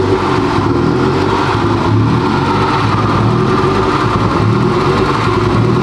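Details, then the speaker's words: 2021 Honda Civic Type R, totaled and rebuilt with a rebuilt transmission, first start after the CV axle install: an uneven, stumbling idle with lumpy pulses and ragged revs, a misfire. The owner suspects mistiming; the scan shows MAF sensor and PCM codes. "That don't sound right. It sounds like it's mistimed or something."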